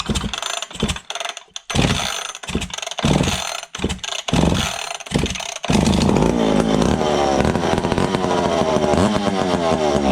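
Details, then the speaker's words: Vintage McCulloch Pro Mac 55 chainsaw, first fire after ignition chip fix and two-jet carb swap, fuel squirted in, no fuel line, throttle held open: sharp pull-start bursts, then steady high buzzy rev; runs fine. "oh yeah that sounds good she's a runner"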